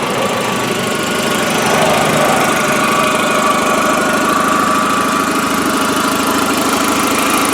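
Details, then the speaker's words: 2004 VW Jetta sedan: an even, steady idle with a smooth low drone and no knocks or misses; the engine runs well, though a very slight, very minor exhaust leak is suspected; normal idle. "That's the motor in this vehicle, and it does seem to run pretty good."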